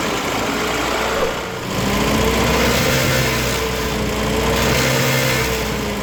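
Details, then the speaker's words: 1972 MG Midget 1275 engine after replacing throttle-body springs and heat-shield area springs to cure a rattle: smooth steady idle with even low beat, no rattle, running cleanly. "Now let's listen to the engine, now that the new springs are installed and all that gubbins has been done."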